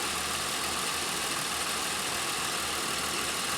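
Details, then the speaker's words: 2001 Pontiac Aztek GT, about 3 months after head gasket engine rebuild, before its first oil change: steady, even hum with no knocks, misses or ticks, unchanging; idling smoothly. "man listen to how smooth that engineer's"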